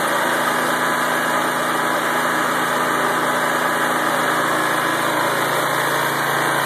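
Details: Lawnmower-engine generator converted from gas to propane, propane fed via ball valve into carburetor fuel line connector: small engine holds steady even speed, no misses, hunting or surging; normal running.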